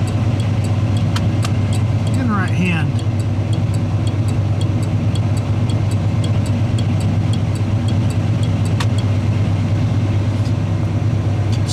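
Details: '81 Chevy truck idling, factory Tung-Sol 224 thermal turn signal flasher relay reinstalled after HM 552 comparisons: crisp, evenly spaced clicks about 107 a minute over steady idle; flasher cycling normally.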